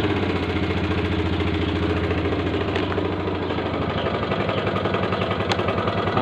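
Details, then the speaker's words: 2008 MX 4-speed motorcycle, original engine and exhaust: uneven, lumpy idle with faint irregular tapping over the beat; seller says engine knocks slightly (ngelitik), rough, needs service. "Itu aja sih, langsung saja ya, dengarkan suara mesinnya. Suara mesinnya kasar, perlu diservis."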